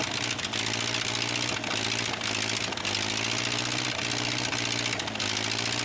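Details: Ford 8N tractor project, temporarily run to assess engine and three-point hydraulics: steady even idle thump with regular firing beat, no knocks or misses; engine running well.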